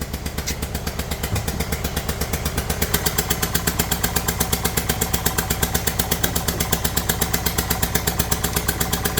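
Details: Kia Sportage 1.7 diesel at idle, oil and dirt over the engine: rough idle with steady chuff-clatter about twice a second, tractor-like; compression blowing past one failed injector seal.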